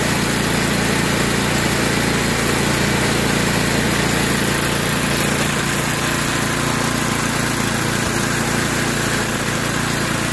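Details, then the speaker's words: Yard Machines by MTD 26-inch snowblower with Tecumseh 8 hp engine, which surged at idle. After the fix (carb screw removed, soaked in carb cleaner about 10 minutes, wire-brushed), it holds a steady, even idle with no surging. Normal idle after repair. "there you have it she uh that's a huge difference uh in how it was running before"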